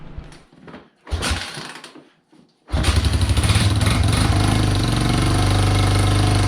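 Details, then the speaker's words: Honda Big Red 250ES ATV on a budget build, first run after restoring spark: fires after a few cranks and runs loud with a sharp chuffing pulse about four times a second, air escaping from the unclamped, loosely bolted exhaust. "keep in mind now that his ass needs to be clamped in place she needs to be put up in place those bolts need to be tightened so she's a little bit a little bit noisy like you can hear the air that you're escaping from her"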